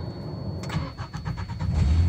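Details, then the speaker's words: Mazda B2600i 2.6 G6 engine running swapped B2200 F2 ECU, warmed up: short even cranking, catches at once and settles into smooth idle; healthy start, no issues noted. "starts right up, turn my here, blower motor off, you can hear, let's see, yep, okay, this is it. Over the door switch. Okay, that's how it's idling."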